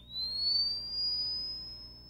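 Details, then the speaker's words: Vivalink AED after detecting a shockable rhythm: clean high-pitched whine climbing steadily in pitch over about two seconds as the defibrillator builds its shock charge normally. "The whine means the Vivalink is building a charge."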